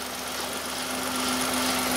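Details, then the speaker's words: 2015 Hyundai i10 1.0-litre (Kappa G3LA) at idle: steady buzzing with light 'shush' chatter, mechanical not rattling like mad; suspected stretched timing chain, Hyundai technician couldn't diagnose, chain being replaced. "well it's not rattling like mad it's making a noise but it is making a noise"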